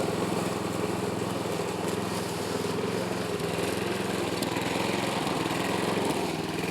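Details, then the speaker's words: Yard Machines Gold Series (MTD) mower after swapping in pre-cleaned carburetor, oil put in cylinder causing smoke: under mowing load runs uneven and lumpy with stumbling firing pulses; still not running right, low compression. "you guys can hear how it's running it ain't running good"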